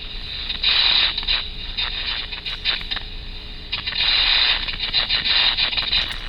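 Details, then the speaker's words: Ultrasound inspection of electrical switchgear picks up harsh, irregular crackling and sputtering bursts, loud and hissy: electrical arcing, an advanced fault stage signalling real problems. "the third phenomena that we can find with ultrasound which is um arcing and arcing sounds like"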